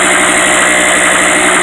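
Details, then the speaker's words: Harbor Freight 800/900 W portable generator with a little choke, no load. Buzzy small-engine run with a fine metallic exhaust ping rattle that disappears once a shop vac loads it; not an engine knock; exhaust rattle at no load. "Um, yeah, the shop back technically draws more current than what the generator can handle. So, plugging in the shop back is certainly loading the little guy up. And as soon as I do that, I'll switch the shot back on. You'll hear that rattle go away."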